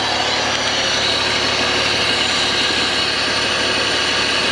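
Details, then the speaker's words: 2005 Honda BF225 outboard on flush ears after replacing both thermostats (starboard found stuck open); even steady idle with smooth hiss, no knocks or misses, water flowing from telltale; runs fine. "Gonna let it run for a few minutes. You'll see we have some water here coming out of our telltale, so we know we got water going through it."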